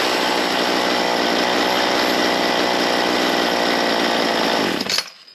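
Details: Ryobi C4618 chainsaw, warmed up, after setting low and high jets and idle from scratch: clean steady high scream without bogging or four-stroking, then clean shutoff; normal high-speed run, high jet set right.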